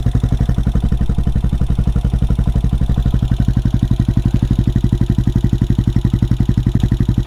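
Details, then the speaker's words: CSC SG250 single-cylinder motorcycle after MotoCult Stage 4 Plus engine kit install, idle screw adjusted up: steady, even deep-thumping idle with audible happy valve tapping, no knocks or misses, normal. "sounds sweet. And it didn't blow up. So that's a win right there. I can hear the valves tap, tap, tapping away. They sound happy."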